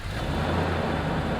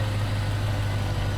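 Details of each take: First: Land Rover Discovery 1 V8, running for the first time in a year after immobiliser and alarm bypass: steady idle rumble, then one sharp exhaust backfire pop with a brief surge when given gas; cause unknown. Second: Land Rover Discovery 1 V8 with immobiliser and alarm bypassed, first start after a year unused, heard near the exhaust: deep even idle with steady low burble, no misses or knocks; running smoothly though a backfire noted earlier.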